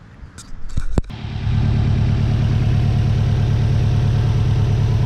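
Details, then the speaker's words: Car checked for a suspected vacuum leak (a hissing sound while driving, possibly a disconnected hose), after the repair: a clean start and smooth idle with no hiss or audible vacuum or air leak. "well boys and girls i don't hear anything i don't hear any hissing or anything like that or any audible vacuum or air leaks hopefully we fix the problem"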